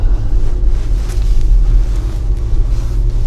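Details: Ford Bronco on the move after Fox 3.0 shocks were swapped back to factory shocks: steady low road rumble with no knocks or clunks, pointing to the noise coming from inside the Fox shocks.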